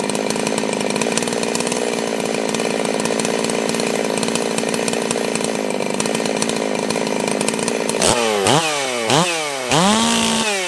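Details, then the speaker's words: Holzfforma G660 Pro chainsaw with about 15 tanks through it, after baffle removed from air filter and a timing advance of between an eighth and a quarter inch: high steady scream in the cut, crisp clean revs, no stumbling; normal cutting at high revs. "yeah that that woke it right up"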